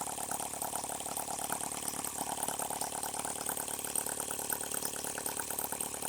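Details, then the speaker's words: H76 Microcosm twin-cylinder model engine on the bench with water cooling flowing, no leaks: quick, even ticking pulses at a steady pace with no dropouts, running fast; normal running on both cylinders. "we are running on two cylinders I'm running a whole lot faster"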